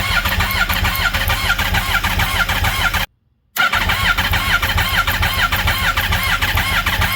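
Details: Redneck golf cart with 200 hp engine, temporary wiring, screwdriver spark check during first start attempt: steady starter cranking about two pulses a second with pauses, never catches; spark confirmed, owner suspects FuelTech calibration needed.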